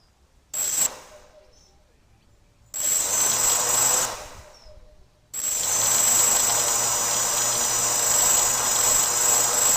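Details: Gaui 330X multirotor: high motor whine in short spin-ups, then a steady run, with a faint rough ticking underneath. The strange clicking from the motors has an unknown source.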